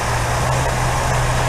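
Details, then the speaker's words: 1964 Buick Riviera V8, just started on primed chainsaw gas, before tuning: a loud, uneven idle with a lumpy low drone and faint irregular misses. Rough idle because points dwell is about 40 against a spec of 30. "Really out of tune, so now I'm going to spend some time tuning it. So the dwell on this was about 40, way off, supposed to be 30."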